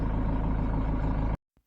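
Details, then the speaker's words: Ford Transit Mk7 2.2 FWD diesel after starter motor fix, suspension knock repair and MAF/MAP sensor and EGR clean: starts perfectly, steady even low diesel rumble at idle with no knocking or hesitation; normal healthy idle. "So, to conclude, starts perfect. Knocking noise has gone and the hesitation has also gone."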